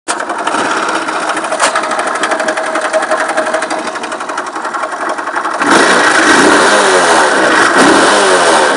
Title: Стучит двигатель Вайпер Актив в чем дело?